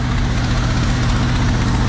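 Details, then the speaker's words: 1979 G10 van V8 cold-started in deep snow after sitting: deep, even rumble with no skips, knocks or ticks, running great unlike before; owner suspects old gas caused earlier trouble; normal idle. "This thing, the van's running great, which is crazy because before it never wanted to run. Now it wants to run great."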